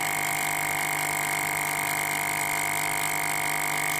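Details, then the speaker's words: FoodSaver V2490 that vacuums but never finishes; after pump checked good, isolating sections with a T; steady high whine, fast even pulse, no pitch change, not pulling vacuum, leak suspected in this section. "pretty suspicious it's not doing anything so I think the problem is in this section"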